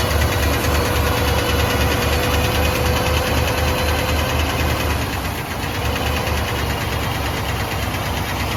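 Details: Boat-tail Buick Riviera V8 just started, with pink valve covers; a steady idle with a light quick tick keeping pace with engine speed. The owner suspects a loose lifter, unconfirmed, and plans to check the oil.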